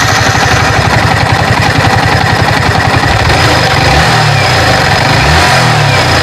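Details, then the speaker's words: Yamaha R15 motorcycle after tappet (valve clearance) adjustment for a noise: even, steady single-cylinder idle thump, then clean rising revs with no tapping from the head; smooth, valve clearance sounds correct. "का आवाज़ बिल्कुल मक्खन जैसा। हो रहा है।"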